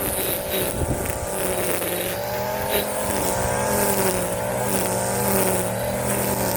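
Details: Warm Stihl FS 56 RC trimmer, after 20:1 mis-mix and cleaning of muffler screen and spark plug: steady even-pitched buzz without stumbling or surging; idling cleanly.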